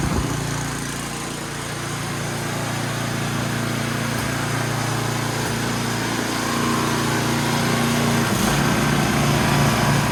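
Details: Ariens snowblower after fixing drive belt falling off and reinstalling chute cable: small engine runs with a steady, even buzz and slight pitch shift near the end, no slipping or squeal; running normally.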